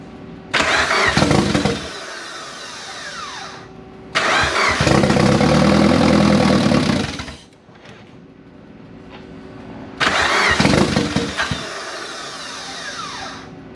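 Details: Engine starting after almost 10 years of storage and 2 years of work: fires after a brief crank, revs up and settles to a steady idle, repeated; normal start and idle, runs cleanly.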